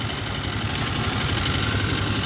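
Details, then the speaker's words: Scooter engine that ran dry of oil and died twice, now idling with a loud, rapid metallic knock from oil starvation, lack of oil changes blamed. "Ayan napakaingay so ayan sama-sama na problema na yan Okay so mga ksk maging aral sa inyo to kailangan mag-change oil kayo"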